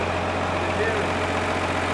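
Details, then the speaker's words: Tractor high-low range drive tested, smooth even hum speeding up and slowing down with no grinding, whine or clunks; high-low drive turning over normally. "Yeah, so we have our drive going here, and then we have, that's quicker obviously, speeding up, and it slows down. So that's your high-low walking away there."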